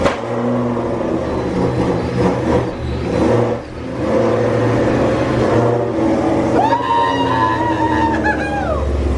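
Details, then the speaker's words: First start in a long time after a new fuel system install, with a strong ethanol smell. Rough, loud roar with sharp pops bursting through, then a rising howl as it catches. Backfire on first start. "it is so strong in there right now that was the loudest most obnoxious crazy noise that I've ever heard"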